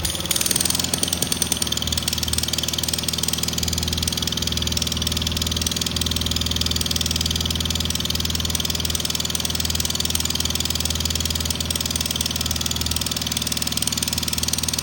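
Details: Kohler 18 twin engine on a Cub Cadet Cyclops mower running steadily with a rough, hissy puffing about four times a second; electric clutch bearing first suspected, then judged a blown head gasket, not yet confirmed.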